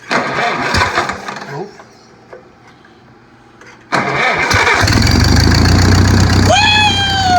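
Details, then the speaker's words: Oliver 60 tractor: starter churns, engine catches and runs, then speeds up with no throttle input; owner suspects a fault in the governor linkage, not confirmed. "here's our issue something is screwy in this governor linkage because if you guys were on the end of that video it started to kind of run well that wasn't me revving it up so we think it's in this governor linkage"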